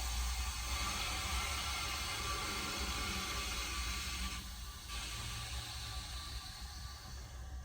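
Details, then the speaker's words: Church women's room toilet after a flush: steady hiss of water filling the tank, then it quiets as the fill valve closes and shuts off properly. "Okay, so it shut off."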